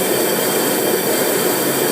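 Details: Gas fryer on propane after bypassing the faulty igniter box so gas flows straight to the burner: steady, even roar of flame with no sputtering or popping; burner lit and burning cleanly, no leaks.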